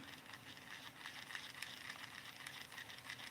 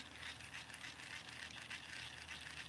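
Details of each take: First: Kingdom Micro Monster baitcasting reel with shallow spool: soft, uneven ticking rattle, about three or four a second while the handle turns, from somewhere inside the reel; source not found despite disassembly. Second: Micro Monster baitcasting reel after gears were cleaned with toothbrush and soap and re-oiled; spool turns with a soft, even hiss, no grinding, ticking or scraping; spool bearings fine and quiet.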